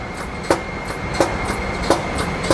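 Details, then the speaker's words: HIP T-Series high-pressure pump on test bench, initial air cycle before rising to operating pressure when the motor kicks in; even clicks about every 0.7 seconds over steady high hum; normal air cycle. "this is just an air cycle, and then we're going to go up to our operating pressure, and that's when you'll hear the motor kick in."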